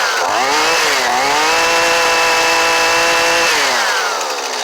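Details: Old Husqvarna 128LD trimmer with a new Hipa carburetor, choke off: it rises smoothly to a steady high scream, holds without stumbling, then falls back cleanly; it runs properly.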